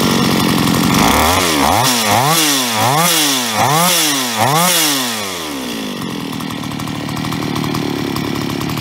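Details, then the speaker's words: Solo 644 chainsaw, about 20 years old, blipped five times then settling to a clean, even idle after replacing a worn piston with 0.12 mm cylinder clearance; the hard metallic piston-slap rattle is gone. "ja ich denke man konnte den Unterschied deutlich hören also das harte klappern ist weg"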